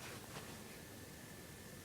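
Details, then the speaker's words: PS3 after thermal paste replacement to fix overheating shutdowns and a fan that grew louder: quiet steady airflow hiss and faint whir with no rattle or rising pitch, cool air at the back. Fan now runs normally. "I don't you heard the fan it's running smoothly and it feels cool the back I'm feeling cold air"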